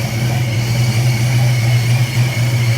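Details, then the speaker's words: First start of the Retro Fox V8 after a Vortech V3 SI supercharger install: heavy, steady low idle with no hunting or stalling. Timing was guessed and may be a tooth off, it has 60-lb injectors, and the MAF is not hooked up. Normal idle. "So, but I can't believe it sat right there and idle. So that's awesome."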